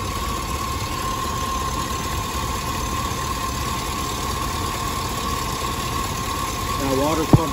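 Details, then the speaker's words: 2005 Cadillac Escalade 6.0 LS after replacing a wobbling, noisy water pump, serpentine belt back on and coolant topped off: smooth even idle, no wobble, rattle or knock from the front; running good. "i top off the coolant now she's running good not making any weird noises"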